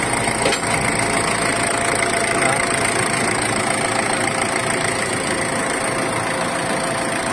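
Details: Ford Everest diesel with a no-start glow plug problem, engine replaced and reported solved: steady idle with an even patter and faint high hiss. It starts and runs smoothly, with no misfire or knock.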